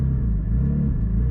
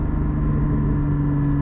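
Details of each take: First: Porsche GT4, 400 hp flat-six, driving just off idle: deep, even low rumble with no knocks or misses; driver dislikes this off-idle sound but considers it the nature of the motor; normal off-idle engine rumble. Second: Porsche GT4 cruising at light throttle: steady low droning tones whose character changes at a certain rpm; exhaust valves said to be open all the time; cause of the change unclear.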